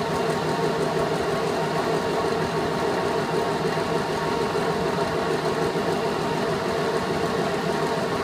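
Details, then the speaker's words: VenTech IF8 fan after about 3 weeks running at full rated speed: constant rough drone with a gritty, slightly rattly edge, not present when new; bearings suspected to be failing. "so anyway it didn't sound like that when I first installed it sounds like the bearings are going what we're only about 3 weeks of life on it"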